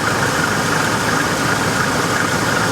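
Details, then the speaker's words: Copart auction vehicle with the 4.7 V8, alternator charging at 14 volts. Steady, even warm idle that purrs, with a smooth unbroken hum and no knocks or ticks; it runs well. "Poor girl. Listen to her. She runs well. I don't care for the 4.7. I really don't. But listen to her purr."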